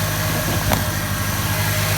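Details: Ford XR4Ti turbo, first run after fixing a fuel leak and an oil change, coil wire pulled first to build oil pressure; coolant flowing well: steady, even low idle, smooth unbroken hum, no knocks or misses. Normal idle.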